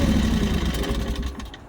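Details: New MMS 380T mini skid steer, twin engine: steady low, even idle with no knocks or misses, settling quieter toward the end; healthy.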